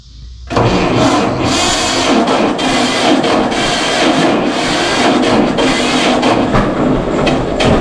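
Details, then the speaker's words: 1952 John Deere G two-cylinder tractor, first start after about four years stored in a barn, following fuel put in the correct tank and leaks fixed; catches within half a second and settles to a steady, even idle with no knocks or misses: healthy start. "now i'm gonna try to give her a whirl see if she'll start up this hasn't been started and i don't know how long it's been a few years so we'll see what happens"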